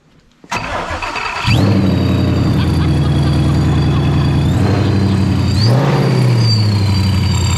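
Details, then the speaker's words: Wrecked 700-horsepower V8 drift Mustang with a slight boost leak, cranking briefly and firing up at once into a steady, lumpy idle with a small blip. It starts and runs well. "Sounds good. There you go. That's freaking great."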